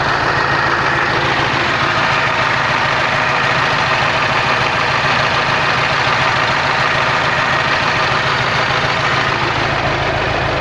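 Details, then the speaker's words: KamAZ truck diesel idling with a steady hollow knock, three to four a second; at least two worn pistons loose on their skirts, piston slap. "слушайте стук [аплодисменты] идёт вот идёт просту это вот поршневая уже Короче как минимум два поршня стучат там такая хрень ребята Они короче уже на юбке болтаются так вот такой стук идёт"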